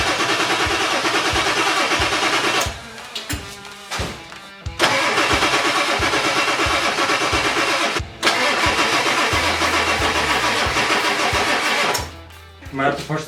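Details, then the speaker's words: 1997 Ford 7.3 Powerstroke diesel after replacing O-rings on all eight injectors: long bursts of steady cranking, about three turns a second, never catching; air in the fuel system, battery possibly running low. It later coughs and starts. "probably has a lot of air in the system oh yeah lots of air hope there's enough battery that all"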